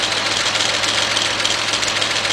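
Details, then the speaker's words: Rebuilt Chevy Equinox/Buick Rendezvous-family engine (new head gaskets, timing chain, intake) at warm idle: fast, light ticking hiss riding over the idle, traced to the EGR valve. "that noise is actually coming from the EGR valve"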